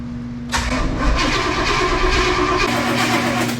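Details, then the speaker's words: 1994 Chevy tow truck, sat for years, new transmission and fuel pump; after fitting a used distributor and ignition control module the starter churns steadily but it never fires, no spark, distributor blamed as fourth part tried. "Only thing I can think of is just a distributor. So, we're on part number four."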